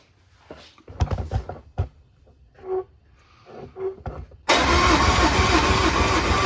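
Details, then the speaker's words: Cranking a 2003 Yamaha 225 Vmax outboard on a 2003 Triton TR20 bass boat for a six-cylinder compression test, on a weak battery. A steady, even cranking spin with no firing after some handling clatter; normal cranking, with readings of 120 psi and one cylinder at 115. "all right we're ready to do the compression test now we just going to go turn the key and see if the motor spins"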